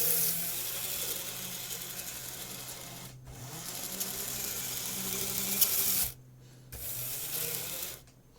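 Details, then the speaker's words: Graham Farish Class 50 N-gauge loco at high speed after axle gears were replaced, before the squeal fix; tiny motor whirs flat out with a thin, steady, loud high squeal that stops with the power. "i'll just do a high speed test now and i think we should still have the squeal it's quite loud in there this wheel"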